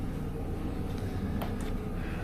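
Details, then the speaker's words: Farm grain blower after harvest, run about an hour on wheat: electric-motor big fan blowing grain up the pipe plus a smaller fan up top sucking out dust; steady even low hum, no knocks or rattles, normal. "Big fan, basically a big fan. Then we got the smaller fan up top that sucks out like dust."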